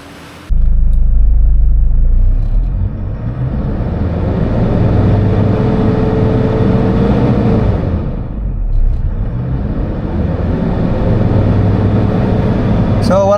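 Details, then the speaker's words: Toyota Fortuner 2006 diesel, after repairing a cut fuel injector wire on cylinder 4 (code P0200, misfire): smooth revving to about 3,000 RPM and back with no stumbles, check engine light no longer appears; normal revving. "wala nang check engine pag i-revolution mo ng 3,000 RPM."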